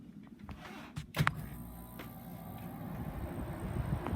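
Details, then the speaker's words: Portable R-410A air conditioner switched to cool mode with the setpoint lowered to 72 in a 77°F room: a soft click, then a low steady hum as the compressor kicks in and runs normally. "it just kicked in. This is starting to get really cold."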